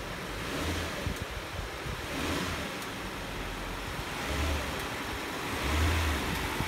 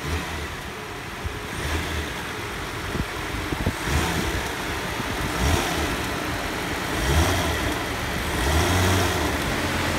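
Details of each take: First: 2002 Nissan Maxima GLE after replacing the front electric motor mount with a Marmon Ride Control unit, air intake duct still off: it idles and revs cleanly and the resonance is way down. Normal running. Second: 2002 Nissan Maxima GLE, in drive with brakes on, given a little gas: engine note swells with uneven heavy thumps and body boom as the broken front electric engine mount lets the engine bang.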